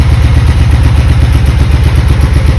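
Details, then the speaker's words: 1996 Honda Magna 750, barn-stored about 4 years, first run in a long time, cold, on choke: loud, deep, uneven throb with lumpy hunting pulse at low revs, running rough; fuel leaking from a carb, cause not known. "That's the first time it's run in a very long time. A little cold."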